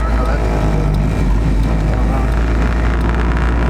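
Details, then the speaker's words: Honda Civic EK with JDM B20B swap, driving with no accessory belts fitted: deep, even engine drone pulling steadily under load with no knocks or misses; feels and sounds healthy. "it just feels healthy it does"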